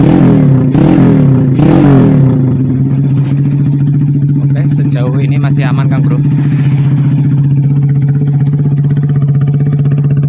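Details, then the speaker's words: Vega R motorcycle bored up with an oversize 450 Kawasaki Kaze piston, exhaust refitted after the conrod was replaced: after a couple of blips it settles into a steady, even idle with no knock or rattle. The earlier smoking and rough sound are gone. "Let's fix it Bro, the smoking part has been cured. Then the rough sound has also returned to normal."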